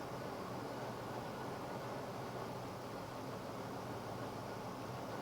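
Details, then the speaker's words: V8 fitted with an Autolite 4100 carburetor, idling before a spark plug wire cylinder-isolation test: smooth, steady hum with no misses or stumbles, running on all eight cylinders and pulling normal vacuum; normal idle. "The engine's running on all 8 cylinders just like it's supposed to be. We're pulling our normal vacuum."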